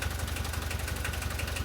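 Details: VW T3 diesel running again after many years, following cleaning and refitting of injection pump parts (lines, distributors, solenoid, throttle linkage); adjustments still needed. Steady, even diesel idle with regular low chug, no knocks or misses: normal diesel idle.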